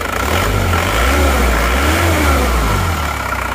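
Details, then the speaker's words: Newly assembled diesel engine, first start after rebuild: idles evenly, picks up cleanly through throttle blips and settles back without knocks or misses; smooth, no longer blowing by. "Alhamdulillah hidupnya rata suaranya halus kita gas-gas"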